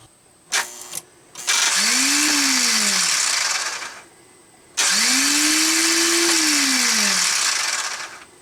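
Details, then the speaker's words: Brand-new starter on a TDI diesel swap in a Jeep Wrangler spins in two high free-spinning whirring bursts with no cranking thud; pinion never engages the flywheel. Starter wire long and routed poorly; injection lines loose for leak check. "my starter down there that's brand new is spinning but not engaging anything"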